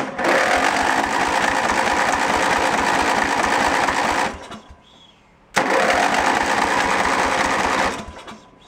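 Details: Junk lawn tractor engine cranked by jumper pack on choke: it catches and runs rough and fast for about four seconds, dies, catches again briefly, then quits; fuel starvation or lost spark is suspected.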